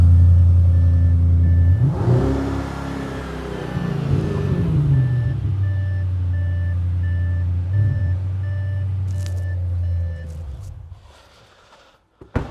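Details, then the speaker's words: Audi RS6 after engine-out work and injector repair, crisp rev blip rising and falling cleanly, then a steady, even idle before shutdown; misfire-free, normal revving. "I'll just start this up. So you can hear this Misfire free. So this is the one that had the engine out, and the oil injector's done."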